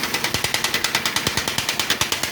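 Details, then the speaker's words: 1.6 16-valve small van with heavy blue smoke, cylinder 1 at zero compression, cylinder 4 not holding: sharp, even metallic knock about seven beats a second at idle, louder low down, heavy blow-by from oil cap; likely broken piston rings. "le oye este ruido. El ruido se incrementa en la parte de abajo. Se escucha mucha presión. Y mucha salida por el tapón del motor. Esto indica que podría estar roto los anillos, aunque hay otro tipo de problemas que también puede haber."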